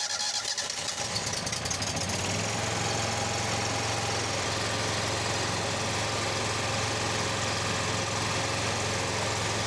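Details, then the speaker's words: John Deere Z915E zero-turn mower after repairing a frayed, disconnected charging wire at the starter (battery 12.6 V, expecting over 13 V running): brief crank, catches and settles into steady even idle, no misses; repair judged successful. "Well, the old Deere is alive again. Yep, that seems like it was a success, so awesome."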